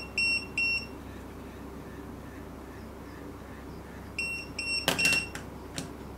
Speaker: as you can see uh the three pager the number three pager first first first beep and then you hear you hear the vibration sound which means we set the vibration mode successfully